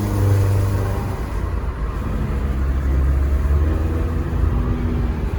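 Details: 2010 Nissan Versa at 114,000 km under hard acceleration: low drone and uneven chugging, air whooshing and chattering, sputtering like an intake leak or slipping transmission; low, very hot exhaust flow; cause was clogged catalytic converters.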